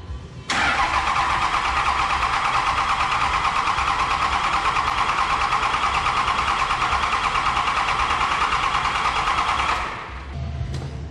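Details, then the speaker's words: Cummins 5.9 diesel being cranked for about 10 seconds after a head gasket replacement and fuel filter priming, with an injector line loosened to bleed. The starter churns evenly and the engine never catches; crank, no start from air in the fuel system. "Okay, now I'm gonna crank the engine. It's best if you have somebody that can stand here and watch that fuel injector line to tell you when fuel comes out, but I'm by myself, so I'm just gonna crank it for like 10 seconds, and then I'm gonna come have a look and see if there's any fuel there."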